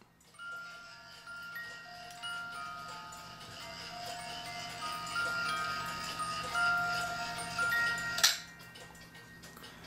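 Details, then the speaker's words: 1985 Black Forest cuckoo clock (Regula A-25-85) music box: tune plucks clearly but very faintly. The comb sits too far from the cylinder and needs pulling closer. "So that's, if as you can hear, it's not very loud. That means the comb on the music box needs to be pulled a little bit closer to get the sound out of it."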